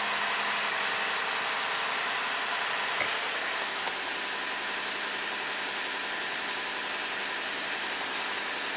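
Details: 2015 Lexus IS250 V6 AWD that idles over 2,000 rpm in Park with no codes (throttle body already replaced): after cleaning and tightening a ground, steady high idle hum has dropped noticeably; cause unconfirmed.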